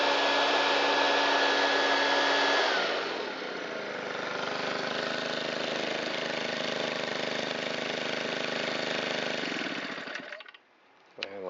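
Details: Shindaiwa EB254 Hybrid4 4-stroke handheld blower after replacing the fuel filter and cleaning the air filter, valves not adjusted: high steady drone drops smoothly to an even lower note before cutoff; runs fantastic, healthy.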